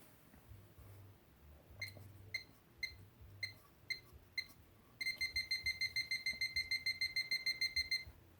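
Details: Liberty Premium LX12 safe, about two to three months old: six key-press chirps, then continuous fast beeping, about five a second; electronic lock failure caused by a weak 9V battery.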